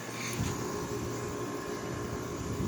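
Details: 2009 Haier window air conditioner, cleaned, compressor just switched on after at least a month idle, quickly getting cold: low steady hum with soft fan whoosh settling evenly after switch-on; compressor running normally.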